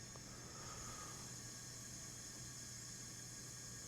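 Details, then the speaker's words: Craftsman LT1000 riding mower overhead-valve single, engine not running, leak-down test with valves closed: constant soft hiss of air escaping into the crankcase at 55% leakage (10–15% normal with wear), pointing to worn rings, bore or piston. "55 leakage that's a lot 10 is 10 15 is normal-ish for an engine with wear but 55 that's high I can hear it in here"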